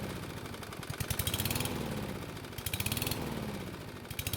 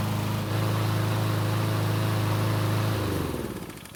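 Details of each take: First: Free lawn mower after refueling from an empty tank: engine speed swells and sags about once a second, nearly dying then recovering; hunting idle, owner suspects fuel delivery issue despite plenty of gasoline. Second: Free Cub Cadet mower, small single-cylinder engine, working fine for two months before its later revving up-and-down problem after refueling: holds steady buzzing speed without surging, then winds down as it shuts off; normal running.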